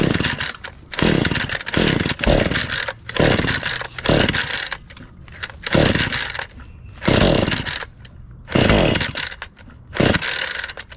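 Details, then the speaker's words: Husqvarna 435 X-Torq chainsaw fired right up after fresh fuel was poured in: revs up and drops back in crisp bursts about every second and a half, picking up cleanly, though it died off throttle before carburetor adjustment. "well it's a good start okay well that's pretty cool we got lucky just needed some fresh fuel and it fired right up"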